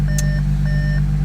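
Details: 2014 Audi SQ5 3.0 turbo diesel, high kilometres, after repair of crank-no-start, first-go start: smooth, constant low idle hum with no misfire or knock under a repeating warning chime; idling very well.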